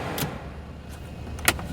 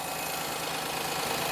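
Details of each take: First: Perodua Kenari idling (about 900 rpm target) with a suspected leaky idle control valve: switching on headlights holds idle, but the heated rear window pulls the idle down and it hunts slightly; idle speed drops under electrical load. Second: Perodua Kenari: smooth, steady idle with no stumbles, holding speed well; owner suggests a touch high, around 900 rpm, is about right; normal idle.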